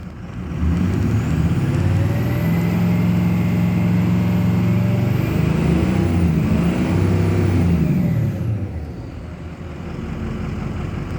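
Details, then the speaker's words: 2006 Ford F250 Super Duty 6.0 Power Stroke diesel nearly stalling, bogs, then revved; rumble climbs and holds then sags unevenly; rough running. "oh he just wants to stall i'll give it a little guess here no it's bogging down okay one more rev up"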